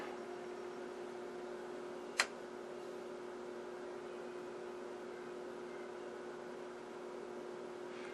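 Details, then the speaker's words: Sencore TC-162 tube tester under restoration, working during a dual-triode tube test: a steady, low electrical hum with no variation; it hums loudly, cause not yet found. "but it is humming quite loudly if my furnace wasn't running in the back you could probably hear it better"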